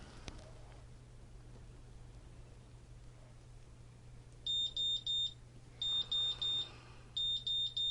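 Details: GZAIR SA104 electrochemical carbon monoxide detector, reading pushed over 200: quiet hum, then groups of four sharp high buzzer beeps repeating about every 1.5 seconds, the high-CO alarm.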